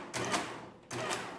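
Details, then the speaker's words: Early Marchant Silent Speed 10M mechanical calculator multiplication attempt: short bursts of rapid gear clatter stopping and restarting unevenly, multiplication not working; owner suspects a stuck adjuster or sticky parts. "that doesn't work there's something funny hmm so i wonder if this is got a stuck adjuster or something too or not"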